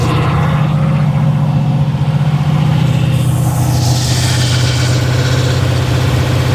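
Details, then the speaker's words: Monte Carlo SS (G-body) on E85 with newly installed carburetor, cold rainy ~40°F day: fast steady drone idling around 2,000 rpm with no dip, far too high; idle screws backed out, air suspected via vacuum leak or throttle holes, unconfirmed. "So yeah, it's idling at $2,000. So let me start it back up. It's getting its air through a vacuum leak or through those holes."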